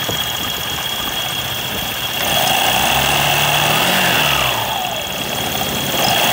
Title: Kymco/Many100-110/後普利變速組/滑軌乾澀/異音rear pulley transmission Dry rails produce abnormal sound